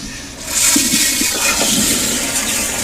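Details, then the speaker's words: Sloan sensor-operated flushometer, pressure checked with EBV-375-A cap gauge, control stop not opened far enough: short, soft rushing flush lacking a strong surge; weak flush, control stop needs opening a little more so water swirls into the trap. "just a little bit more i should be good i want all the water to swirl right into the trap and then we're good to go"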